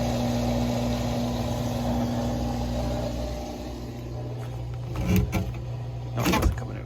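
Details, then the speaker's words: Haier washing machine drain pump running after being repositioned as a temporary fix for it stopping mid-cycle and not draining: a steady low hum with a couple of clunks as it pushes out the remaining water. Normal drain pump operation. "so here you can hear the pump working just trying to push up the rest of the water"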